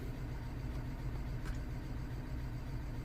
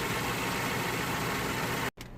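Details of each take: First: 2009 BMW 318i E90, 2.0 petrol (unconfirmed), idling: quiet low idle with uneven lope and recurring stumble; misfire still logged on cylinder 3 after parts were swapped, while cylinder 4 injector leaks and seems not to be the cause. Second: 2009 BMW 318i E90 (believed 2.0 petrol) after repair, engine bay plastics refitted: even, steady idle with no stumble or shake, brief dropout; previously rough and shaking from cylinder 3 misfire, now running smooth.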